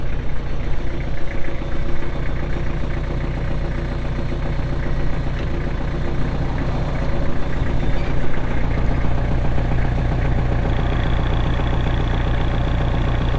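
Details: 2004 Kubota M6800 4WD pre-emissions diesel tractor, 1,181 hours: steady, even low diesel clatter with a firm regular beat and no misses or knocks; normal healthy diesel idle.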